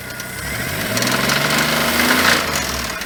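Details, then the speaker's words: Geo Metro engine being revived, alternator running hot: a rough idle with a hard, deep knock about four times a second, keeping time with rotation. A rod knock is suspected, possibly masked earlier by squealing. "Yeah, it's knocking down, huh? Fuck, man. Why wasn't I doing that before? The rod knock."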